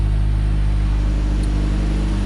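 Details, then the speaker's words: 1990 Ford Ranger with a reman long block, idling cold: deep steady rumble, no ticks or knocks, smooth. Misfiring and shaking appear only with throttle input, and the cause is still unknown at this point. "but as you can see running smooth no ticks no weird noises anything like that when it's cold"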